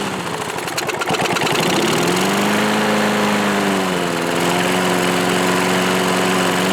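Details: 1986 Murray lawnmower, old and well-worn, first start after removing the old cable, with fuel added, starting fluid in the carburetor and full choke; it sputters roughly, then catches and settles into a steady, even drone, running surprisingly well.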